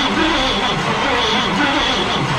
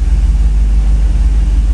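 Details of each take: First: 1990 V3500 crew cab after sitting years in a field, fuel system replaced: slow, labored cranking about four beats a second that never catches; battery too weak, fuel likely spraying from throttle body. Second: 1990 Chevrolet V3500 crew cab, sat years in a field, after fuel system replacement and battery trouble: deep steady rumble with even pulse and no misses or knocks; running well.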